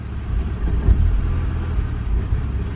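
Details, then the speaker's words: BMW N52 engine rough idle: revs drop to 500–600 rpm and hunt, with an uneven, lumpy beat audible in the engine; ISTA scan shows no codes related to rough running. "and you can even hear it in the engine itself"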